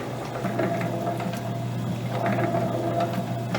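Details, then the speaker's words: Vintage Lewis metal shaper under power. Steady motor hum with a light, regular ticking from the stroke. There is no clunking, banging or crunching, so the gearing sounds sound, though the drive occasionally misses or fails to catch. "What's missing to me for something this vintage it's the clunking and banging and crunching that should be going on if it's really damaged inside. So it gives me hope."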